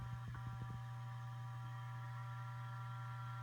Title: ST8000DM002. Buzzing noise when idle